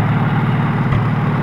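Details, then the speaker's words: Farmall H tractor with loader and wide front end, idling after refueling (it had simply run out of gas): loud, deep, steady idle with even low pulse, no misses or knocking; a little noisy but runs real well, good motor. "But it runs good and works good. It was out of gas, like I figured. So I'll let you guys see how good it runs right here. Said quite well. A little noisy, but it runs real well. Good motor."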